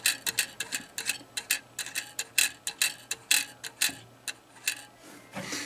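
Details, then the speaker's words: Airport electromechanical pinball machine under repair, after new rollover switches fitted and blades readjusted: bursts of sharp dry ticks and clacks at uneven pace, normal ratcheting they all make, just unheard while playing. "And if the noise that it's making, they all do that if they're, you just don't hear it when you're playing"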